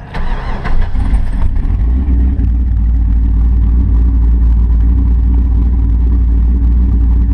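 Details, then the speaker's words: Camaro (the Squirter) after WOT runs on low oil (about 2.5–3 quarts, pan sucked dry), engine now dies when coasting; starter turns it over slowly and laboriously before it catches into a deep steady run; owner suspects a spun bearing. "see that don't sound right see how slowly it turned over trying to start it that's not normal"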